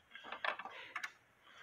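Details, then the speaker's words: Cuckoo clock with broken hands: a few light, sharp clicks in a quiet room as the hands are turned. A bent part coming off the tabs on the center arbor is believed to cause it; the movement must come out. "it is uh the part that comes off the tabs on the center Arbor I believe it has gotten bent and that's why you hear are hearing this clicking noise"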